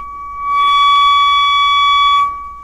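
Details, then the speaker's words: Kriesler 11-7 valve radio under restoration, scope on the grid while tracing an intermittent very-low-volume fault: a steady high test tone suddenly swells loud, holds about two seconds and drops away. Intermittent weak audio, cause not found. "one of the most annoying things about intermittent faults is that just when you think you're tracing them through they disappear"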